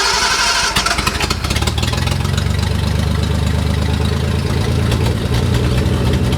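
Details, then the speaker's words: Nissan 240Z with junkyard replacement engine: catches and settles into a lumpy, stumbling idle; front bank of cylinders not firing, with no suction at one carburetor; compression test shows one cylinder at 180. "These front cylinders aren't firing. Gauges are working now, they look decent. But why is that front bank not firing?"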